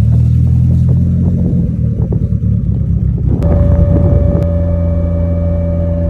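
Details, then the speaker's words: Claimed 800 hp Mitsubishi Evo driving after rear differential and transfer case replacement: engine rumble under load, then a steady mid-pitched whine while driving, still noisy so not the rear diff; owner suspects the area near the transfer case. "so guys after after changing the rear day as you can as you can hear it's still making a lot of nice so obviously it's not the Rarity"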